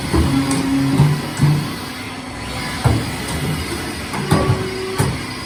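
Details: Haas VF3 mill with new way cover seals, rubber wiped with WD after running without oil: several irregular hollow clonks over a steady hum as the covers telescope back and forth; not binding, clonk normal for a bigger machine.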